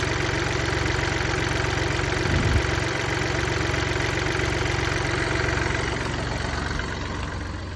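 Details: Mini Cooper D three-cylinder diesel idling with an uneven juddering rattle from a worn dual mass flywheel, which holds clutch springs and wears out.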